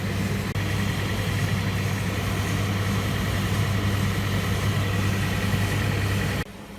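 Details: Zanussi ZDE47100W vented tumble dryer on synthetics, running with side panel off after replacing the belt tensioner pulley and belt; steady even hum with low drum rumble, no squeal, knocking or thumping: running smoothly.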